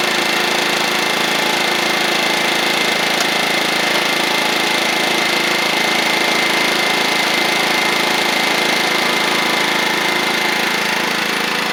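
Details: Toro Proline walk-behind mower with a Kohler Command engine, after a new blade: an even, steady small-engine drone with a regular beat and no knocking or surging; normal running.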